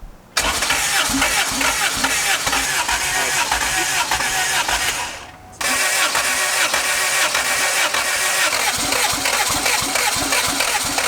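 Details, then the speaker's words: First start of a freshly built turbo LS VTEC Honda Civic: steady cranking, brief drop, then it settles into an even, clean turbo four-cylinder idle; sounds really healthy, a normal start. "How'd it sound? It sounded like Sounded good. Sounded really healthy."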